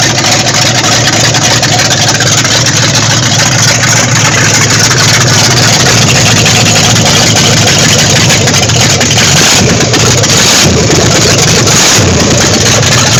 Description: The freshly-rebuilt 440 engine in my 1974 Dodge Monaco running for the first time after the rebuild.